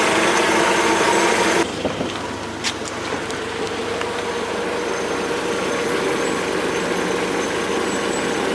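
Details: Mercedes W202 C200 after tensioner and V-belt replacement: raising the revs brings a loud hissing rush that cuts off sharply as the engine drops back to a smooth idle; abnormal noise, source unclear.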